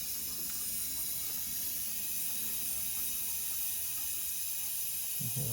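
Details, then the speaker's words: Basement, house water main slowly reopened after replacing an outdoor spigot: steady, even hiss of water refilling the lines with faint gurgle near the end, taking a long time before stopping; normal refill. "hear the water filling in. And at some point, it should stop hissing. There we go. That took a long time, but finally stopped hissing."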